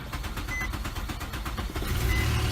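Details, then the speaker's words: Car with a crank-no-start after a missing fuel pump relay was replaced: quick cranking chuffs for about two seconds, then the engine catches and settles into a steady low run. The missing relay was the cause. "started up so that is the reason that is not"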